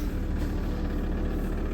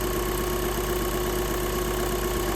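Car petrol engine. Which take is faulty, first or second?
second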